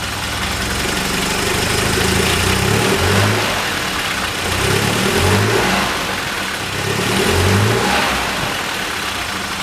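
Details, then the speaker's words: Engine on a cold start after compression-related fixes runs fine at idle and with a slow throttle. When the throttle is mashed it swells, stumbles and dies; the owner suspects the fuel pump, unconfirmed. "if you mash your foot down on throttle it just instantly it just dies so I think it's a fuel pump issue"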